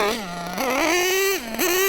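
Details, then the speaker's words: Nitro RC engine during carburetor needle tuning, going from tick-over to full throttle: sharp buzzing sags and bogs ("bop bop bop") before picking up; still running too rich, leaning an eighth turn at a time. "do you hear that? Bop bop bop bop. Still really rich."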